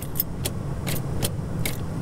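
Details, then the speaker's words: Old Toyota LandCruiser (60/70/80 series) with an intermittent no-start that a new starter did not fix: sharp single clicks about twice a second with no cranking, caused by voltage drop in the starter wiring. "nothing you can hear it i'm getting a click but i'm not getting it to start what is the problem"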